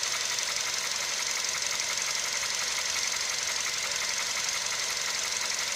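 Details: Hot CFNA engine at operating temperature, idling with a knock roughly twice a second over a hissy, bright running sound; internal engine knock, cause unclear.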